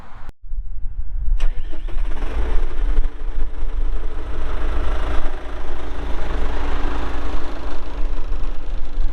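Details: 1997 John Deere 310E 4WD backhoe with 2,280 hours. The starter whirs briefly, then the diesel catches and settles into a steady, even idle with no knocks or misses: normal start and idle.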